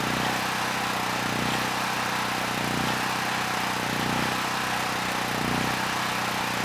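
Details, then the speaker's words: Generac GP6500E generator, formerly seized engine now running, warmed up, tested outdoors under load up to 6,000 W near max: steady even drone with slow gentle swell, no hunting or misses; 121 V held, 61 Hz to just below 59 Hz, distortion 6% to 16%; running healthy. "This generator had absolutely no issues handling the load. We started at 121 volts, about 61 hertz, and 6% distortion."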